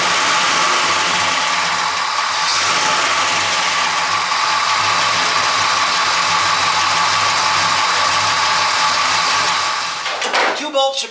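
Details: Engine at steady idle: light, irregular popcorn-like rattle ticking about three times a second. The owner checks loose parts, bearings and the timing chain and unnecessarily replaced the water pump; the source isn't confirmed.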